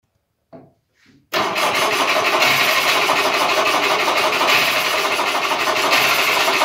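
A couple of short cranks, then the two-stroke fires and settles into a busy, even buzzing idle; it starts and runs fine.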